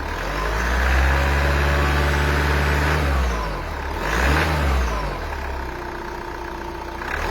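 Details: Renault 2.0 dCi diesel revved hard from cold, a harsh clattering rumble rising and falling with the throttle; abnormal cold-start engine noise, cause unconfirmed.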